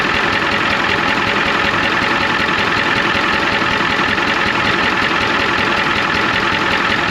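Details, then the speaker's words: 1993 Ford F250 IDI diesel at idle, one injector line popped to find the problem cylinder: harsh, uneven clatter about 80 beats a minute; one injector found super loose, squirting fluid back out, so every injector will be checked. "look back here one of the that injector right back there super loose so what I'm thinking we should take a wrench and go to every single injector"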